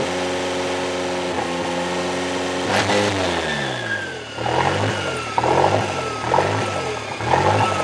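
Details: Toyota 3E-TE engine at start-up: idle bounces between about 1500 and 2500 rpm roughly every two seconds, never settling; owner notes engine seems to get hot and suspects thermostat not opening; hunting idle, cause unknown.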